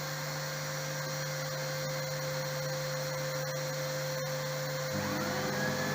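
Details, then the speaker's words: RO plant digital control panel with two small pump motors, switched to auto mode with 5-second timer: steady electric hum, second pump starts after about five seconds and both run smoothly together. Normal pump operation. "दूसरा भी चालू हो गया, दोनों pump चालू हो गया, दोनों आवाज़ आ रही होगी आपको, ठीक है।"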